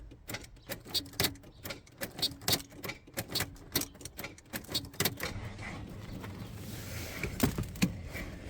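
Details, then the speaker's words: 1992 Volvo 460 turbo, first start after engine removal and manifold gasket change: slow labored cranking about one compression beat a second without firing; owner says battery isn't dead and suspects the ignition switch. "lovely and slow turnover it's not a dead battery I can assure you"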